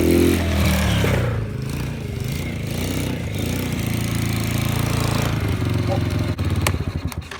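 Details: 2005 Baja 90 quad, first start after an oil change: the small single-cylinder engine catches and settles into an even, steady putter with no knocks or rattles; healthy.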